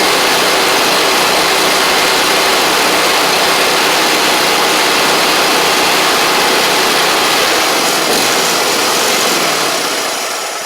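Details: Gravely 260Z mower with a Kohler engine that had been dying, only running with the key held in start, restarted after eliminating the DSAI module; steady, buzzy drone, fairly even throughout, easing off at the end; starts and keeps running fine.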